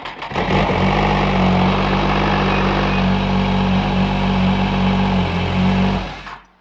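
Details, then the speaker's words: 2015 Ski-Doo Grand Touring 1200 4-TEC, after oil and filter change, rodent-nest cleanout and wiring harness repair (previously ran with one injector dead): catches quickly, smooth even drone, no misfire, clean shutoff; normal running. "Sounded good, man. Sounded a lot better than it did when we pulled it in without one injector."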